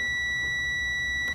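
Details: Multimeter on ohms/continuity setting with probes touched together while demonstrating motor start/run capacitor testing: a clean, steady high-pitched beep holds over a second, then cuts off; continuity tester working properly.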